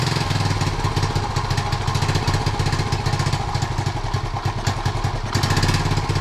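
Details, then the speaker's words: 1976 Honda Z50J1 Monkey, new carb, long-running problems, ignition points and coil being worked on: small single lumps along unevenly at idle, stumbling, barely holding on; rough idle, owner suspects a blocked jet, cause not confirmed. "Sounds awful. Doesn't sound right at all. I'm going to clean the carb out, I think, just to see if the jet is blocked."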